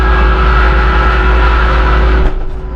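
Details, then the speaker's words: Massey Ferguson 2850M power shuttle compact tractor (48.8 engine hp, 38.1 PTO hp) running a DM164 disc mower at 540 PTO rpm, about 2400 engine rpm: smooth, even drone with clean steady hum from the mower; normal operation. "it up to the 540 rpms right there about 2400 and that's going to be where you operate the mower and you can open the back panel you can hear it running if it sounds like a 747 taking off it's right"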